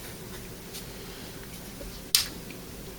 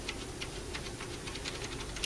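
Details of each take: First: Scrap-pile Dell OptiPlex desktop, very dirty, starting after reseating a loose connection; one click then smooth even fan rush, no beeps, boots to hard drive not found; normal startup. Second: Dell Optiplex 390 desktop from a scrap pile with flashing amber light: faint, quick, fairly even ticking from the power supply, and it never powers on; a short circuit tripping the power supply's protection is suspected.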